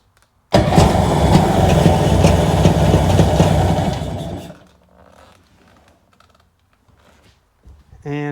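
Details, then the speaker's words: Sea-Doo engine with gas dribbled into the spark plug holes cranks and runs roughly about four seconds, then dies; runs on fuel in the plug holes but not with gas in the bottom, owner suspects something else wrong. "it runs. Put gas in the bottom, it won't run. I bet money that there's something going on here."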